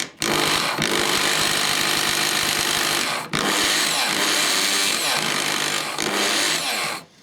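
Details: Bosch corded drill after repair with brushes (spacer added for brush pressure) and bearings, briefly run before grease: smooth high whine at steady speed over two runs, winding down cleanly, no crackle or stutter; brushes not sparking badly.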